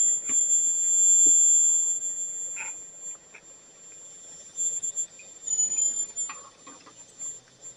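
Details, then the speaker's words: Homemade boiler for miniature steam engine, near steam pressure: thin steady very high whistle over light clatter, possibly steam escaping past a poorly sealed valve; owner may rebuild parts to seal tighter. "They got a whistle going on. Come on. It's almost there. It's got a high pitch. I don't know if you can hear the high pitch or not, but it's there."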